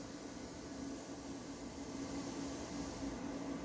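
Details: Sound system with nothing playing: even, airy hiss ("frying") from the speakers, no rhythm; gain set too high, cured by adjusting the noise gate and its close speed.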